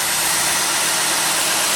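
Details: 2004 Cadillac DeVille V8, started after a jump pack, charging voltage reading 14.7–15.0 during alternator diagnosis: smooth, even idle under a steady hiss with no knocks, misses or whine; the engine is idling normally.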